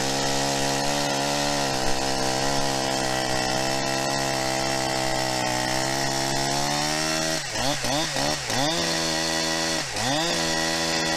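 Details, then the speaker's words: New Holzfforma 372XP two-stroke chainsaw with a 28-inch bar, first run after unboxing, cutting. Steady buzz under cut that sags and wavers when pushed and won't climb to high rpm. Carburetor tuning is needed. "sounds like it needs some carburetor tuning i'm sure you could hear it there it just doesn't want to seem like it wants to get into that high rpm"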